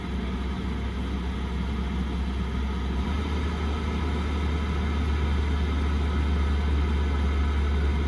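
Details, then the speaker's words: Chinese diesel heater in a van, running at temperature on a not very cold day: low steady rumble with a soft, even chuffing pulse about three times a second. Normal operation, comforting enough to sleep by. "It's kind of like this lulling choo, choo, choo, choo. It's not irritating. I have really sensitive ears in terms of little small noises that irritate me, and it doesn't bother me. When I'm sleeping, it's kind of comforting."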